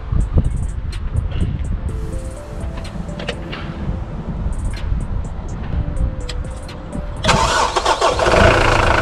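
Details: Mitsubishi L200 K74 diesel, first start after the boost leak was fixed by replacing the throttle body gaskets with instant gasket, left to cure fully: background noise, then cranks, catches around seven seconds and settles into an even, steady idle. Healthy.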